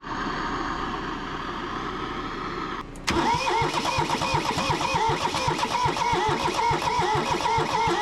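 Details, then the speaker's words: Kubota B6100 tractor, three-cylinder diesel, long non-running, block warm: starter spins it at an uneven beat of about three per second and it never catches; cranks without starting, owner suspects stuck rings and low compression. "You know, what could be happening is if those rings got stuck, I don't know, in maybe it might be low on compression."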